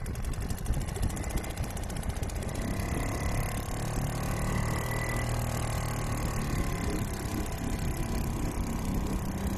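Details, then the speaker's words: Restored old Seagull 40 Plus outboard running in the sea at the beach, at raised revs where it pumps cooling water well (stops pumping at low revs): fast, even two-stroke buzz over water splash, no misses or knocks; normal running. "re was no water, but when it's on high revs, or higher than it is now as well, it pumps really well. So I'm pleased to see that."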